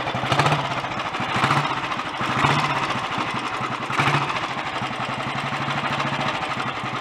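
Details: Early Redditch Royal Enfield 350 Bullet after unblocking pilot jet, new oil pumps and head tightening, ignition slightly retarded: steady single-cylinder thump with gear-train chatter from the dynamo and magneto drive, no engine clatter or knock, no smoke; normal idle.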